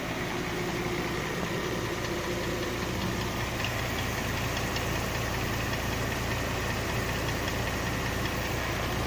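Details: 2005 Mercedes ML350 at idle: a faint, steady knock over the running engine note; a newly appeared engine knock whose source is still unknown.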